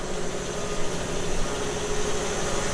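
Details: Newly installed shop air compressor heard from a distance beyond 3 feet; fairly quiet low steady pump drone with even hum, no knocks or rattles; running normally.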